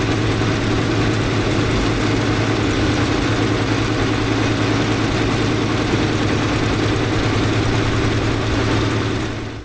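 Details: 1964 International Harvester Travelall C1100 after fuel-system work, run around the block with temperature mid-gauge: low idle with an uneven, loping beat and no steady rhythm; rough idle, owner unable to sort the cause yet.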